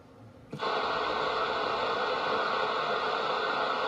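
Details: Intermittent radio static: a steady loud hiss cuts in sharply, holds flat a few seconds, then cuts off; heard on the mobile radio in the truck, source unknown, and the owner is asking what causes it.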